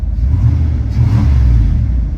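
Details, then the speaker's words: Pickup with 5.2 V8, engine temperature still low, good oil pressure: deep, even rumble swells smoothly as the throttle opens and settles back, with no misses or knocks. A healthy engine rev. "Whew, baby, that engine is smooth. This has got the 5.2 in it."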